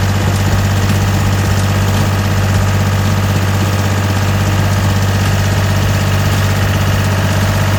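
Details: Gehl 4640 skid steer with Deutz diesel, which had quit and would not restart before a fuel solenoid/pump diagnosis, at a steady low idle rumble with even firing and no misses, knocks or hunting; running smoothly.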